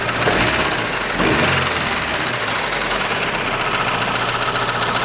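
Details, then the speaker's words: 2006 Chevrolet Lanos, 1.5 petrol, 342,000 km, after replacing one hydraulic lifter and a FEBI valve rocker: the loud knock is gone and it runs quieter, but a light quick valve tick remains at idle. "ну покрайней мере этого звука громкого не стало стало потише работать"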